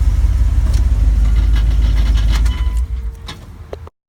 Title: 2001 dodge ram 1500 5.2l, 77k miles. Knocking noise